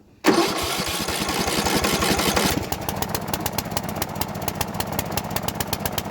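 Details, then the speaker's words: Bolens riding mower, sat a couple years, after carb cleaning, choke off, in neutral with PTO off: runs hard two seconds then drops to a lumpy, pulsing bog; owner believes it needs a new carburetor. "I still think we're going to put a new carburetor here guys I think that's going to be see how bogging yeah we need a new carburetor"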